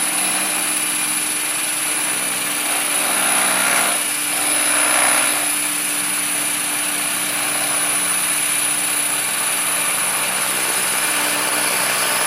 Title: Trex 500 esp bad vibration sounds on first hover